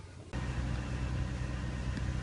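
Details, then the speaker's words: 2002 Audi A4 3.0 V6 after fuel pump replacement starts and settles into a steady, low, even idle with no misses. The pump is working, though expect about a minute of cranking to purge air. "as you see, the car is running now. Pump is working."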